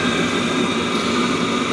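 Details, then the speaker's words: Webasto Thermo Top C auxiliary heater from a BMW E60, running on the bench after repair. A bulb substitutes for the solenoid valve and the software shows no errors. Constant smooth blower roar with a steady burn, no smoke or sputtering; working like new. "at once, as you can see and hear, the stove is working like new, no smoke,"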